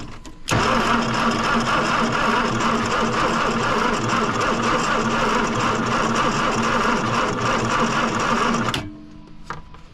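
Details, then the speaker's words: 1963 Plymouth Belvedere sitting since 1978, starter re-clocked, starting fluid sprayed in: long steady starter whir about eight seconds with no firing; cranks but won't start, spark not yet confirmed. "Well, it wants to. It's trying."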